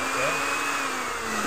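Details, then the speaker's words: Philips blender brought in because it would not turn under load; its blade-assembly gear teeth are chipped or broken. The motor is test-run before replacing the gear: smooth, even high-pitched whir, steady speed, no rattle or labouring, so the motor itself is fine. "untuk blendernya aman ya tidak ada masalah."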